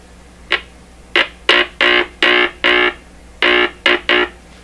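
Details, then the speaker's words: Stewart Warner R514 tube radio with its speaker under test, before tube testing and capacitor replacement. Nine short buzzy tone bursts come through clean and even with no crackle, rattle or distortion: normal speaker output. "sounds pretty good that sounds pretty good to me good"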